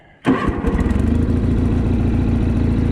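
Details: Kohler-powered John Deere 318 garden tractor, bought used, needs steering cylinder rebuild and seat springs; quick crank, fires straight away and holds an even, steady low idle rumble; engine starts and runs healthily.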